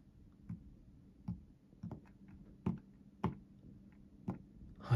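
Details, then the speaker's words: Zowie ZA13-DW mouse lifted and set down on an Artisan Hayate Otsu V2 pad: several soft clean taps with no rattle, normal, unlike the U2-DW, which rattles, likely from the top click plastic interfering. "で、続いて ZA13 ですね。はい、これも、はい、全く問題がなく、どこか音が鳴ったりもしません。"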